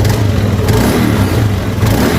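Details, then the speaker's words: Honda Beat scooter after carbon cleaner treatment: steady buzz, two throttle blips, settles back without stumbling; slight smoke; running, but piston replacement suggested or problem may recur. "Nah, ada ngasap sedikit ya. Nah, yang penting ini motor udah hidup."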